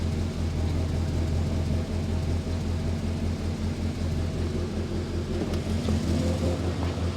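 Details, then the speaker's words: Morris Minor after engine swap, once the choke is pushed in; smooth, even low idle with steady deep thrum, no misses, knocks or rattles. "hey there we go fantastic it sound a lot better once the choker has being pushed in of"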